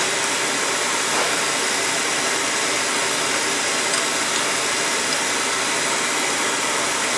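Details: Oil boiler replacement, burner first fired calling for heat, pump pressure set at 140: steady airy roar with no low rumble, firing hard and breathy; too much combustion air, air band needs cutting back.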